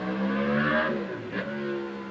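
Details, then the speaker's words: Passing four-stroke motorbike in the background with a loud, burbling, hollow motorboat-like exhaust note rising and falling as it goes by, as if an open tube exhaust had been fitted; sounded rubbish. "it sounded like a motorboat that's someone's just put a tube on for an exhaustive four stroke motor bike someone just put two born it sounded quite rubbish"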